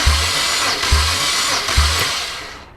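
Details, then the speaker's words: Compression test on a removed BMW N54 engine from an E90 335i: slow, evenly spaced cranking heaves, about three and a half per second, on cylinder four, which reads low. "there we go so it's about 130 psi so this one's as well"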